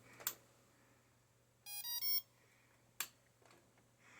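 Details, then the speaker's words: HAKRC 60 A ESC on a power supply with no motor attached: three short rising beeps at every power-on; the unit is suspected faulty, since the other identical ESC stays silent. "Anyhow, every time I turn on the power, it beeps. It's the weirdest thing."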